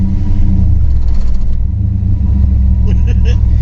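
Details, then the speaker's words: 1963 Chevrolet Bel Air with four-speed conversion: deep engine rumble with a hard pulsing shudder as the car pulls away, severe clutch chatter on take-off, also hard shifts when warm; owner suspects an incorrect clutch fork, fixed with new flywheel, clutch, fork and rod. "so it's got a really really really bad clutch chatter see how if i can give you an example of how bad this thing shakes on take off"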